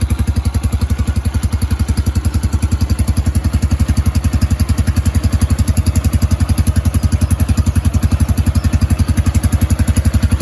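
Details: Yamaha YBR 125 single-cylinder started cold after a replacement secondhand electric-start part was fitted; steady, even thump at about 220 beats a minute, no knocks or misses; idling cleanly and healthy.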